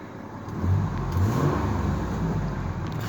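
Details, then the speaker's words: Ford F150 XLT with the 4.2 engine and 130,000 miles, owner suspects a vacuum leak and original plugs and wires: deep, even engine note rises smoothly with a little throttle and holds steady, no miss; running smooth. "Let's give it a little bit of gas. I'm not going to touch the e-brake. I don't do that no more. And see, now it's running smooth."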